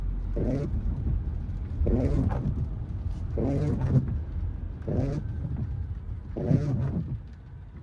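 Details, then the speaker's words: 2024 Mercedes-Benz GLE windscreen wiper squealing since delivery, first drive in rain after fourth dealer workshop visit; groaning squeal rises and fades about every 1.5 s with each sweep over low road rumble; repairs failed, fault persists. "Äh laut Werkstatt funktioniert der Scheibenwischer. Aber so wie man hören kann, funktioniert er wieder nicht."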